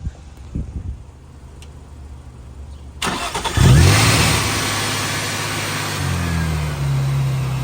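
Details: Nissan 350Z with ProCharger after tightening the supercharger belt to fix belt slip: short crank, then it catches and settles into a steady idle that lifts slightly near the end, with no belt squeal; normal start and idle.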